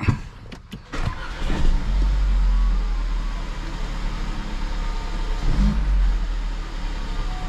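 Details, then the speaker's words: 2015 Mercedes CLA after ignition coil and spark plug replacement, ECU reset; starts cleanly, quicker than before, settles to a smooth even idle with no stumble or the earlier shaking; normal start and idle. "so it less second than before yeah it's good so it Go correct no shaking it before"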